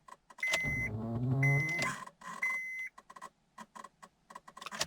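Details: Honda Accord (2003–2007 type) that needs many key turns to start: three short electrical buzzes with a steady high tone at the ignition switch and no crank. The key is not at fault, and the steering/ignition switch is the part being replaced.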